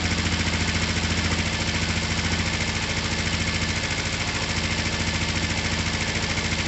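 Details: Finished, repaired twin motorcycle, oil just topped up, down pipes wiped so slightly smoky, started from the button: steady, even idle at about 3.5 pulses per second, no misses; runs cleanly.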